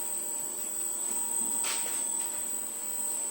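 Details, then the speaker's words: Refurbished variable frequency drive with replaced control board driving a motor, steady very high whistle unchanged throughout while running. "Поменяли плату в частотнике. Все гудит, все работает. Включаем. Обращаем внимание на свист."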